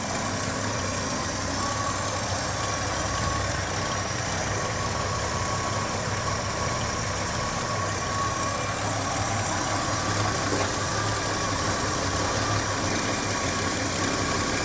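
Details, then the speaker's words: Chevy 230 six after timing and carburetor adjustment, about 7 degrees BTDC, vacuum line reconnected: starts right up into steady, even idle with smooth low hum, no knocks or misses; normal idle. "Let's see if it starts up. Starts right up."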